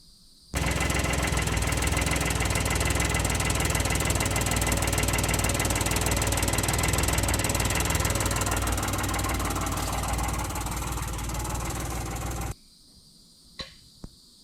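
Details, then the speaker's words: 2008 Ford Explorer, Ford 4.0 SOHC engine, after a head-gasket job where the timing chains weren't replaced: engine running with a fast, busy metallic clatter steady with speed. Timing chain rattle; the chains were then replaced and sludge found. "so now we get to do it again because we have timing chain rattle so let's get into it"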